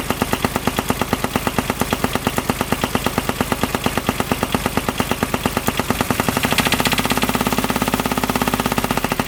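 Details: 2007 Kubota RTV900 diesel UTV bought at auction: hard, rapid metallic knocking about three per second, denser as revs rise; owner fears rod knock, not fan contact, fan feels wobbly; cause unconfirmed.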